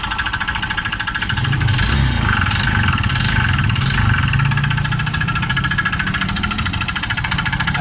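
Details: Honda Vario 125 (old model) scooter: steady idle with a dull, uneven knock about three a second from the bottom end; CVT roller housing disabled to isolate it, oil not consumed; owner suspects connecting rod or piston, unconfirmed.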